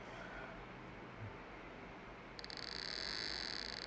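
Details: 28BYJ-48 stepper motor on a ULN2003 module driven by an Arduino Uno running AccelStepper, heard through a wire to one coil: rapid, even buzzy clicking holding steady with no skips or stalls, stepping cleanly at speed; the motor is warming up.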